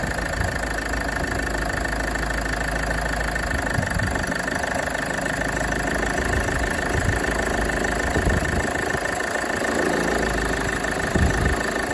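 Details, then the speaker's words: Land Rover Freelander 2 idling before repair: light, uneven plastic tapping from the right-hand side of the engine near the alternator. Seized alternator freewheel pulley. "It's like a plastic um tapping noise. I believe it might be the alternator pulley. Might be on its way out."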